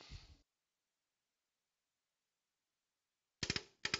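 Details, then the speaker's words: Aluminium Venetian blind tilt wand turned past its stop gives quick dry clicks in small clusters: the wand clutch slipping normally, with a tilt rod limiter preventing overwinding, not damaging the blind. "You can hear that clicking. That's my clutch in the wand just slipping around. It's not damaging the blind."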